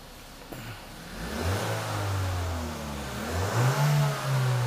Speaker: starting it up now you see that one up quick you see that go up quick now again I'm limited by the rev limiter but you could all agree when you hear it you see it go up right